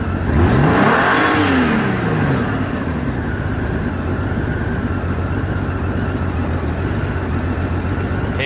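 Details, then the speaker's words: 1989 Honda Goldwing GL1500, 115 (thousand), warm, after timing belts and carburetor cleaning: revs climb hesitantly, peak, then fall to idle; hesitation on acceleration with rough bouncing idle and highway surging, cause unknown. "But it's doing that bounce thing, and I looked up rough idle and I can't figure it out. It takes a while for it to get there, and then it'll take right"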